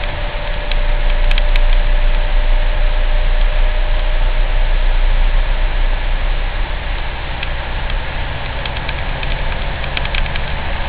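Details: Citroen C4 Grand Picasso: deep steady 28Hz hum fills the cabin over the running engine; source unclear.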